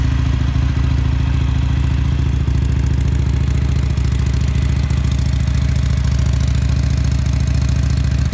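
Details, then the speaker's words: Harley-Davidson Sportster SuperLow V-twin, 4,300 miles, just started: low, loping idle beat at about 140 pulses a minute, steady and even with no clatter; normal, healthy idle. "So let's start it up so you can hear it. Kind of makes a funny noise when the fuel pump kicks on."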